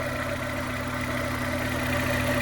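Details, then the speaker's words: Suzuki Jimny with transplanted Vitara 1.6 16v petrol engine, first start after conversion, before radiator fitted and not yet warm; earlier slight misfire blamed on oil in a cylinder, now idling steadily with an even low hum, running nice. "runs nice, running nice now."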